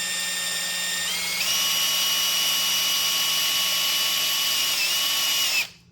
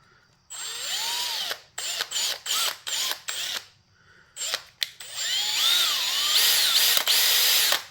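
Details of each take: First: 1968 Cadillac Sedan DeVille front power seat gearbox, removed from the seat, freshly greased and spun by a drill through a square drive bit: steady whine that steps up in pitch after about a second and holds, as the stiff gearbox loosens. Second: 1968 Cadillac Sedan DeVille front power seat gearbox/actuator, rebuilt, test-spun: short bursts of high drill whine, spinning freely with no catch, grind or chatter; butter smooth after rebuild.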